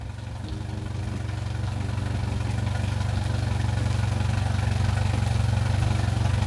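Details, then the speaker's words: Mercury Pro XS 115hp 2.1L outboard on a Mako 18LTS after a 100-hour service with new thermostat, impeller, plugs, fuel filter and fluids. Ten-minute warm-up run to open the thermostat and check for leaks: smooth, steady idle burble with no knocks or rattles. "we're going to run this motor for about 10 minutes what I want to do is have the engine fully warm up have the thermostat open up to make sure I know it's working properly"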